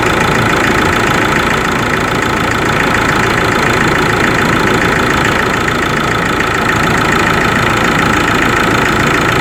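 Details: Ford Ranger 3.0 Limited diesel, cold engine at idle: hard, fairly regular knock about three and a half per second over the clatter; mechanic and pump specialist could not find the cause, selling shop could not fix it.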